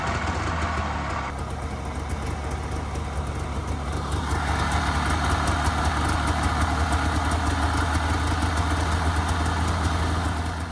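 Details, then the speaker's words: Polaris 500 Widetrack two-stroke snowmobile after a new battery, started with a little choke on a not very cold day: brief crank, then catches and holds a steady, even idle with no misses. Healthy start. "well that is the absolute best we could hope for so uh changing that battery certainly helped although I knew it would"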